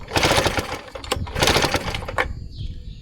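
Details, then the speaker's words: Vintage Tecumseh outboard bought cheap, cranked after a healthy dose. Two bursts of rapid pull-cord cranking with no firing. The owner suspects the ignition, likely points needing cleaning, unless the spark was just not visible. "That way we know 100% certain this thing needs its ignition system fixed. Maybe I just couldn't see the spark, but I'm guessing with being a Takumash, they usually need the points cleaned every time."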